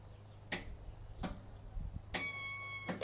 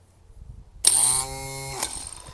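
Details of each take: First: Craftsman riding mower with a Kohler engine and a charged battery: sharp single clicks at the key with a low hum and no cranking; starter suspected seized, not confirmed. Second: Replacement starter for a Craftsman riding mower with a Kohler engine, bench-tested: a sharp click as the drive gear throws up to engage, a short even whir, then a click as it retracts. Normal starter engagement, unlike the stuck original.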